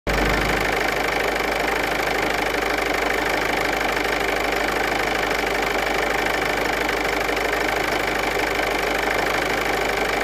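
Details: Ford Kuga MK2 180PS petrol engine idling then revved briefly to about 1600 rpm and falling back, with a metallic rattle riding over the engine note.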